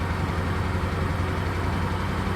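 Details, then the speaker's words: Chevelle with 350 small-block Chevy V8, cold start warming up at idle; good oil pressure, runs okay but missing on at least one cylinder, with an uneven beat; engine also smokes heavily, cause being diagnosed. "It's got good oil pressure, runs okay for missing on at least one cylinder that I know"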